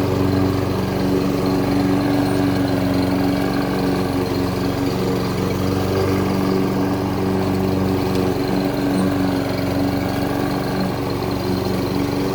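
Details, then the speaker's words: Toro Super Recycler SR4 mower after blade clutch repair for a slow clutch and blade stalling in high grass: steady, even engine drone under cutting load with no surging or knocking; normal mowing. "All right, sounds a lot better. I'm going to take it out and do a quick test."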